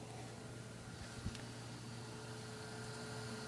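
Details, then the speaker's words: Asus Essentio CM6850 Core i7 desktop with case open, older ATI Radeon card at about 97 degrees, CPU fan about 16,000 RPM and newly installed case fan about 1,030 RPM: quiet, steady low hum and soft airflow, fans running normally. "so this is already pretty quiet and then when I put the case so it's all back together"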